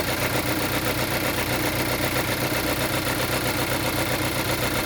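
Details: Geely Coolray engine at idle: a fast, fairly even clatter of about four per second rides over the hum, an extra engine noise of unknown origin. Abnormal engine noise at idle.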